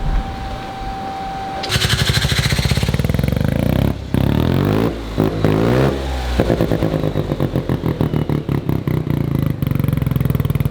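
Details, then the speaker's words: Mazda one-rotor engine build after its first drive, jump-started because the alternator seems not to charge: loud, rasping free revs that rise and drop cleanly, sounding crisp and healthy. "we're gonna end this one with a little bit of revving because it sounds so good"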